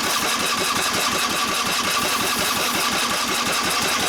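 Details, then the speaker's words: 23 hp Briggs & Stratton V-twin with brand new ignition coils, cranking: rapid, even starter churn with no catch or firing, since one new coil gives no spark. Putting the old coil back restored spark. Cranks but no start. "I tested the coil. The coil seems to be okay, but it's still not sparking."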